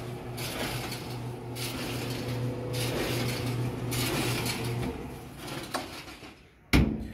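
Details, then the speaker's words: GE dryer running: hum with a scraping squeak about once a second, drum hitting the cabinet frame; fixed by pushing and pulling the cabinet corner to realign; worn tub bearing is another common squeak source. "these things sometimes need to be adjusted as you can see the tub right there is actually hitting the"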